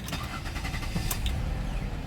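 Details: 2006 Ford Escape Limited after new battery and starter, during fuel pump assembly job, fuel level sensor code stored: brief quick crank, fires within a second and runs smoothly; normal cranking and starting.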